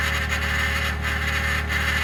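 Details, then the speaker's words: 2021 Ford F150 PowerBoost remote cold start at -16°C: loud constant churning grind with a steady whine, like a pump cavitating, after a click; occurs only at about -11°C and below, cause undiagnosed by dealer. "So the noise is still there. Something clicked, but I don't know when it starts. When it starts pumping something, but who knows? It's really loud."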